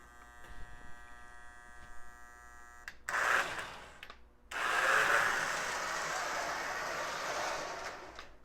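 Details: Lionel No. 51 Navy Yard switcher, a known "growler", running at low speed before cleaning of armature and worm gear: steady high whine with rough growl underneath, noisy motor drive; runs better in reverse.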